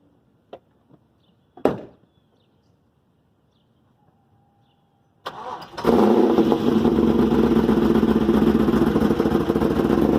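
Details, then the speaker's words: 2001 Chevrolet Camaro SS after a new heads-and-cam install: cranks and catches into an uneven, loping, stumbling idle with smoke and fuel smell; lost compression, owner suspects a bent or burnt valve; misfire. "she's missing like crazy smells like fuel definitely seems like something's going on in there like it's not firing properly"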